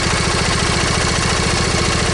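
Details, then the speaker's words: Briggs & Stratton V-twin lawn tractor engine at idle: steady low pulsing with slightly uneven firing, one cylinder not pulling its weight; owner suspects that cylinder missing, to check ignition system and valve cover gasket; not confirmed. "so I guess we're going to be digging into an ignition system plus we need to fix settings valve cover gasket which actually there's valve cover gaskets part of length the reason that this cylinder cylinder might actually be missing"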